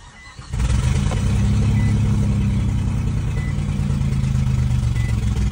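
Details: Supercharged Nissan Xterra with 281,000 miles, towed into a junkyard: it starts, then settles into a coarse, choppy, uneven, lawnmower-like idle with a raspy exhaust chuff, a mix of engine and exhaust noise. Rough running, cause not pinned down.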